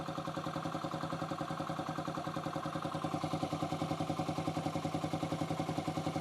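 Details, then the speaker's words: 2008 Yamaha XT125R stored 12–15 years, now with a cleaned carb, new battery and new plug, started on the button: a smooth, even single-cylinder idle with no top-end ticking or knocking. Engine very quiet; normal idle. "The engine's very quiet."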